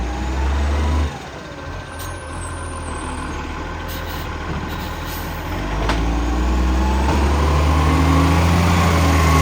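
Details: 2010 garbage truck: loud raspy diesel rumble with fast puffing beat rising as it revs, from a large exhaust leak.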